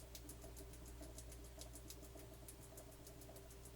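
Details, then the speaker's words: Sony TC-K5 cassette deck after new belt (FBM 10.2) installation and lubrication, in playback: quiet running with fast, uneven ticking around three per second over a low hum; mechanical noise in the transport, source unclear. "the only thing I don't like this noise and I can understand where it's coming from"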